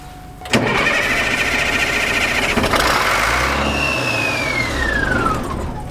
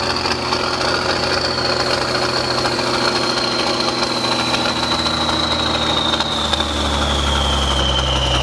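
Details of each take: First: Military truck unstarted for 10+ years, first start with the electric fuel pump confirmed delivering fuel: steady cranking catches into rough, uneven firing on ether starting fluid, then a fading whistle as it winds down. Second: Military truck diesel, first start after sitting 10+ years, started with ether: steady clatter at fast idle, then pitch slowly sinks as revs fall; engine runs on its own and shuts down normally.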